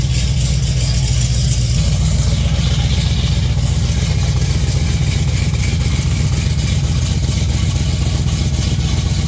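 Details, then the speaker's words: 1959 GMC pickup V8 after a new 3in exhaust with single-chamber mufflers replaced open headers: deep, choppy, even rumble through idle and throttle blips, mellow and less ear-piercing. A healthy engine and exhaust. "Rubble I like it sounds good it's not as ear piercing being open there but still has plenty plenty of"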